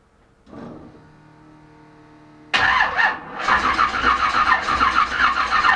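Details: Chevelle that wouldn't start, after cleaning spark plugs: starter churns at about three pulses a second but engine never fires; no spark seen, owner suspects ignition module; crank no start.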